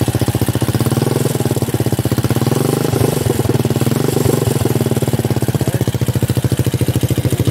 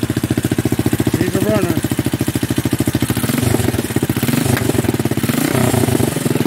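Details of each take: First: Buggy build engine, long unused: loud steady pulse with occasional stumbles, uneven lumpy idle; rough running, owner suspects low oil and long disuse, not confirmed. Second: so I just turned it off so we now know we have a runner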